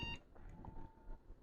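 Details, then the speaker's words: Lenovo ThinkCentre all-in-one computer: green power light comes on, one short beep at power-on, then no picture. A sound can also be heard from the screen. Graphics chip fault is suspected. "you can hear the sound one beep actually and look i can hear the sound which is coming from the screen i don't know what's going on i can see the light but there's no picture"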